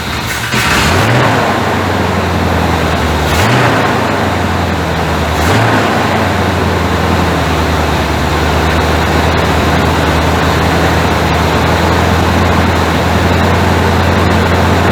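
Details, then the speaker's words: 1985 Chevrolet C30 diesel-to-gas swap, cold start on fast idle. Fires after a second of cranking and settles into a steady, even fast idle with a smooth, unbroken rumble and no smoke from the exhaust. "Oh yeah, ain't no smoke coming out the back. She's idled up a little high. It's on the fast idle right now. We'll kick it off that once it warms up."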